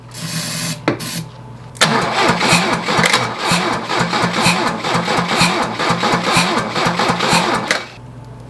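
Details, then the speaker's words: 1982 Lada 2106 sat over 30 years, engine remounted in the trunk, hotwired with a screwdriver across the starter: starter turns slowly, about two labored compressions a second, never firing; slow crank, no start, coil later found wired backwards. ">> Is that crank it fast enough? >> Well, probably not. We'll find out."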